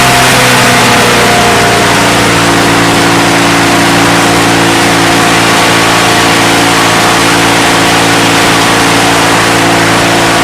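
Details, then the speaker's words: Discarded Victa Mustang 20 two-stroke lawnmower engine, salvaged and first run after neglect: loud raspy buzz with uneven, wavering note and some smoke; running rough, a couple of issues suspected, not confirmed. "now she look she's not running very well you can hear there and I think maybe got a couple of issues going on"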